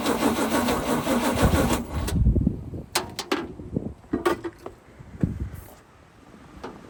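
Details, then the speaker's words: 1976 GMC C20 big block after 30 years in storage, on new fuel with the fuel pump in: catches and runs ragged about two seconds, then dies to scattered coughs; fuel starvation, and the owner believes the fuel pump was lost. "We lost a park fuel pump."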